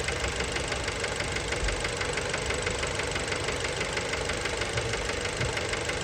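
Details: Fiat Bravo 2 1.4 T-Jet 150 HP, 215,000 km, after recent maintenance, idle recorded close to the engine: fast, light knocking about three a second with a metallic rattle; worn rod bearings, cause unknown, car scrapped.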